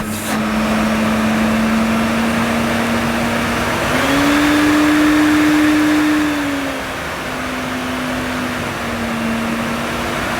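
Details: Mid-1990s Hoover Aquajet S4488 vacuum: steady, even motor hum stepping up and settling back in pitch, no rattles or grinding; motor running healthy.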